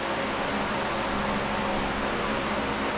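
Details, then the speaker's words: Late-1970s Canadian Super 16-inch oscillating fan, before restoration and servicing, on high full speed (high button sticks unless pressed firmly): strong steady rush of air with constant motor hum, no ticking or scraping; normal, powerful high-speed running. "oh man super powerful this brand named super is [Music] fitting"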